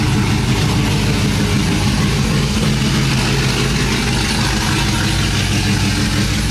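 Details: Cammed 5.3 V8 Silverado, just-fitted long tube headers with no exhaust behind them, just after first start: very loud, deep choppy idle loading and unloading in an uneven lope, no ticking or knocking; healthy.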